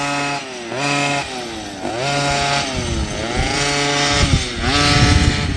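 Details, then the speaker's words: OBR 46cc two-stroke gas engine with silenced pipe in upgraded Losi 5T 1/5 truck, retune after initial break-in, cool October weather: raspy buzz rising and falling in repeated revs, rpm sagging and recovering as low needle is richened. "And it sounds like he actually richened it up a little bit. Trying to get that two stroke, oil and gas mixture flowing through the carburetor properly."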